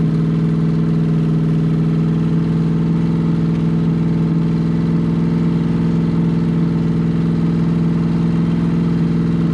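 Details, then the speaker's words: V8 from a complete C5 Corvette drivetrain, run on open headers, second start after a thermometer check confirmed all eight exhaust ports were firing: a loud, steady, deep drone with an even firing note and no misses. "i just went around with my thermometer and checked every exhaust port just to make sure it was running on all eight"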